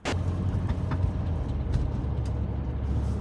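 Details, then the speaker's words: BMW X5 under way: deep steady drivetrain rumble with loose knocks; the propshaft centre bearing has failed and is barely hanging on, needing the prop removed and bearing replaced. "mate sounds like the prop Shop's falling off this [ __ ] car so it's the prop shaft bearing in the center of the car and it's basically not even hanging on anymore"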